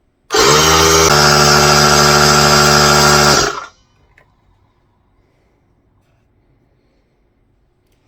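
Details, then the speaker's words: New Harbor Freight air compressor running up to cutoff, regulator set near 90 PSI, shutting off at about 110 PSI. Loud, even high-pitched motor buzz holds steady for about three seconds, then cuts off cleanly; healthy compressor run. "okay well as you can see it did shut off I had this adjusted to about 90 pounds uh 90 PSI and I had to really crank to get it to stop and it's up to about 110 pounds"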